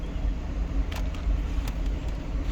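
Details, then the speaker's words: 2002 Kia Sedona, 124,000 miles: front blower fan on high after clearing out debris from parking under trees. It previously made a lot of noise on settings 3 and 4; now there is an even, steady rush of air with no rattling. "the fan which is blowing on high right now you can hear it no noise"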